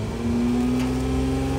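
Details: Toyota Camry 3.5 that cranked but wouldn't start, after ECU replacement: steady even hum with slight rise in revs then settles, no knocks or misses; running, some check-engine codes remain.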